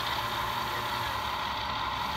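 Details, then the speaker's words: Bachmann model train B-unit on the controller: the motor whines steadily at one pitch with a faint rattly buzz and revs but barely moves, and something is loose inside. A loose drive rod is suspected, not confirmed. "if we come over to the controller and we actually give the unit power as you can see it fires up but motor revs and it can move but"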